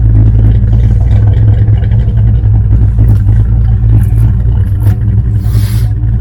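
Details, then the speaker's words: Ford SVO at idle after the H-pipe was cut and new flanges fitted to cure an exhaust leak: deep, uneven rumble with a faint puffing tick, a leak still present, patched. "okay this is the best i could do about that exhaust leak on this svo so it's gonna have to do"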